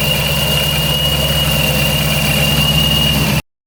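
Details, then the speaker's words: Procharger-supercharged Scat Pack at idle after the shop (Serious HP) fixed the tune, no check engine light; steady thin high blower whistle with no rise or wobble, normal supercharger whine at idle; owner thinks earlier extra noise may have been from being cold. "let's go take a listen to it though I want to see if the supercharger sounds different"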